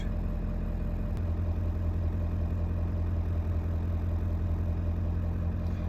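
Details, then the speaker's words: 1995 Ford F-350 7.3L diesel at 39°F after glow-plug relay replacement: starts right up with a steady even idle, voltmeter needle staying down while the relay is engaged, then climbing back to normal charging voltage; normal idle. "start right up and the noodle is staying down like it should and in a minute it will climb back up to its normal charging voltage"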